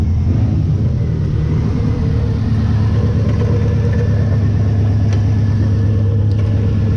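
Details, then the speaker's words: 2000 Chevrolet Cavalier engine, first runs: loud, uneven, stumbling rumble with a slight misfire and heavy shaking; old fuel is suspected but not confirmed. "it's got a slight misfire it might be that old fuel it's shaking pretty hard"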